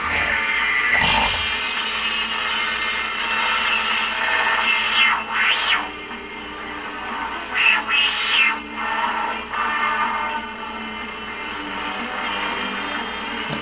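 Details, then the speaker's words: G.E. Model 254 tube portable radio on dim bulb tester: music comes through gritty and warbling, rising and sinking in waves; distorted audio, suspected AVC problem, not confirmed. "this definitely sounds like it has an abc problem"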